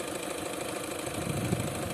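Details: Opel Astra petrol engine idling with a light, uneven knocking underneath; diagnosed as knocking of the intake manifold flap.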